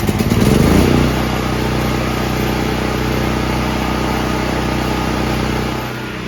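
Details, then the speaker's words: New Firman T07573 tri-fuel portable generator on gasoline, after adding fuel because the tank was nearly empty: steady, even engine drone with no stumbles or surges once it catches; running smoothly, initial hard start likely from low fuel. "it's purring like a kitten maybe that was because it's like brand new out of the box and I had to get fuel in the lines"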